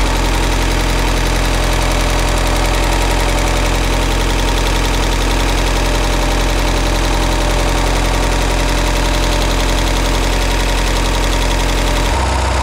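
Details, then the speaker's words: Budget boat inboard engine on water hose, after repairing the failure that stopped it at the lake: uneven idle with a tick about three per second that comes and goes and turns into a knock; owner thinks a bearing or two re-destroyed. "Alright guys, I'm sure you could hear it on the video, but the ticking came right back and it turned into a knocking and it's coming and going, so I think we re-destroyed a bearing or two."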